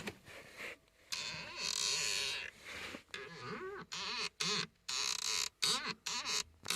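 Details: Van pedals give repeated creaky, rubbing squeaks that rise and fall in pitch with each press when inching forward in traffic. The cause appears to be a dried-up master cylinder piston, and possibly the pedal swivel joint, fixed by spraying lubricant.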